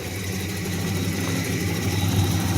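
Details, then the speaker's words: '85 Pontiac Firebird V8 idling: steady idle with a light quick tick in time with the engine; owner suspects valve tick on both sides, cause uncertain. "okay we're at 142 178 I can hear the valve tick more it's I it's sounds like it's here a bit on this"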